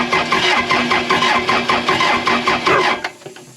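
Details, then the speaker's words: Case 450B dozer abandoned 15 years, just after Roosa Master DB2 injection pump rebuild: slow even cranking at about two and a half compressions a second with no firing, no smoke; cranks but won't start. "nothing nothing yeah no smoke no fuel but it might take a minute yeah give it a second"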